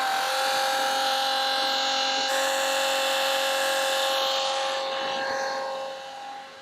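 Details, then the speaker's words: Flojet portable RV waste pump moving RV tank waste into a toilet: a steady high motor whine with a fast even pulse. Pitch drops slightly as it works harder once the black tank is opened after the grey water. Normal running under load. "You just gonna have grey water first. Sounds like it's working harder now."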